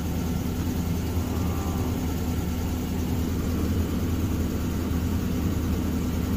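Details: 2006 Ford F-150 5.4 Triton V8 with a year-long tick: steady low idle with a faintly lumpy, uneven beat, still shaking. One cylinder misfires because the spark plug tip broke off, possibly dropping into the cylinder.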